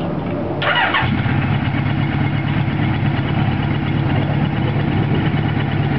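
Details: Restored 1979 Kawasaki KZ1000 with newly fitted Mac 1978 two-into-one slash-cut exhaust: starter whirs, engine catches within a second and settles into a smooth, even idle with no knocks or rattles.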